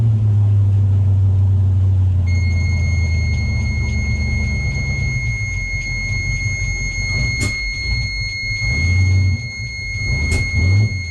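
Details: Luhrs 28 boat engine in neutral, not under load, with transmission fluid topped up and the carburetor under test: deep steady idle, then revs climb and sag unevenly near 1600–1700 rpm under a constant beeping alarm; the engine hesitates above about 1700 rpm.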